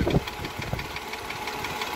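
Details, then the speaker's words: Mercedes W211 with M112 V6 at idle, before switching to thicker 10W60 oil: quick, light, even ticking from the cylinder heads on both sides, started a month ago and worsening; top-end ticking. "Вот такой звук. Звук идет, значит, мы его слушали в наушниках таких электронных с удочкой. Звук идет из головы."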